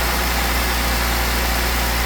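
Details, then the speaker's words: Jeep 3.6 after replacing all 12 rocker arms on the driver's head to cure ticking: smooth, steady low idle with an even hum, no ticking, knocking or rattling; normal idle. "Now everybody's happy, there's no ticking, there's no knocking, there's no rattling."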